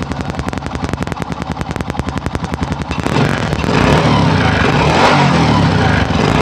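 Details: Honda Supra motorcycle with an older, non-original carburettor just fitted (previous carb's main jet passage damaged), first start untouched: even, steady putting pulses at idle, then revs climb into a fuller, busier roar; runs cleanly on the carburettor, normal idle.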